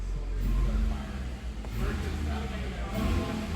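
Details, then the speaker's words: 2011 Nissan Altima after engine swap (old engine used 1 quart of oil a week), first start, smoke cloud at rear, before bleeding coolant: low, steady rumble with a smooth even beat and no knocks or ticks; normal idle. "This actually sounds pretty good. >> So, yeah, now it's running. Everything sounds good."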